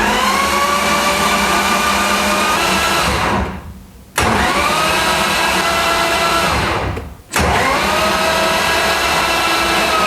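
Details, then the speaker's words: BMW M52B28 rebuilt as 3.0L stroker with M54B30 crank, cranked for oil pressure before first start: two long cranking bursts with dragging scraping whirr; friction first thought to be spun bearings, now suspected clutch or input shaft, unconfirmed. "So while we were cranking it, you heard we had a issue. Somehow picked up some friction somewhere and uh I thought it was in the crank case."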